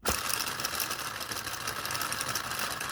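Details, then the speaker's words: Small 3D-printed "Telboy" solenoid motor, four magnets per rotor, on a JL94 circuit at high voltage. It only starts after a really hard spin, then gives rapid light sewing-machine ticking. "yeah i gotta give it a really hard kick because it really needs a lot for the jail 94 churches to kick over"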